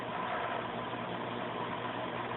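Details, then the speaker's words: Fluval AquaClear 70 aquarium filter on low flow, running about five to ten minutes: faint, steady low hum with even background noise and no rattle; normal. "and it's been running now for what five minutes maybe ten minutes and turn it back on to low and you can hear the hum a little bit"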